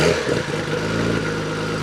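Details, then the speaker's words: Nissan Skyline R33 GTR back up and running after a no-start breakdown (wouldn't start after parking; fuel pump priming checked): strong, even engine note with slight rise in revs, no misses or knocks. "So yeah, that's a Nissan Skyline all back up and running."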